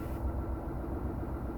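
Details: Van's RV-7 aircraft, ULPower 520iSA engine with Airmaster propeller, at about 1000 rpm idle after run-up and governor check: low, steady drone with an even pulse and no misses or roughness; healthy idle.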